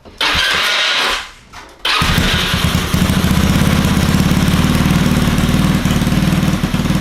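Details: Honda Ruckus scooter with GY6 Chinese motor, hard starting; starter whirs, engine catches and settles into quick, slightly lumpy idle; owner says it must cycle first, not perfect.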